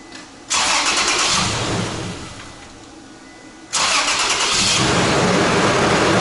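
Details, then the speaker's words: 2006 Toyota Tacoma towed in for no-start and clicking, found with over 20 A battery draw with key off; alternator suspected. With the alternator cable disconnected and starter warm (~100°), it cranks briefly, catches, dies, then cranks and catches again; normal start. "it starts Paige starts alright so this vehicle starts from disconnecting that alternator starting cable from the alternator"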